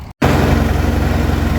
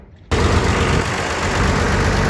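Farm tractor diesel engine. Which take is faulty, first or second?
first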